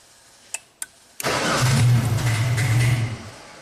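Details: 1999 Genie with electronic throttle control fault, previously worked on by several shops, with custom wiring hacks and a new throttle body fitted: a couple of clicks, then about two seconds of steady cranking that dies without catching; cranks but won't start.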